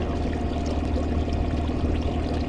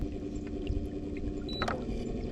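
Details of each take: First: Minn Kota Riptide Terrova 24V 80 lb thrust trolling motor, under a year old, on a 20-ft aluminum boat at top speed: steady low drone with uneven buzzing and rattle; shaft vibrating noticeably. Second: Minn Kota Riptide Terrova 24V 80lb Advance GPS trolling motor, under a year old, at speed 4.5 after grinding at lower speeds: steady low hum with water wash, ordinary electric motor noise, nothing wrong.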